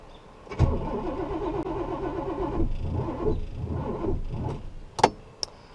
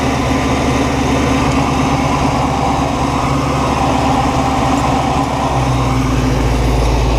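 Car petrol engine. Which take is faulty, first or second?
first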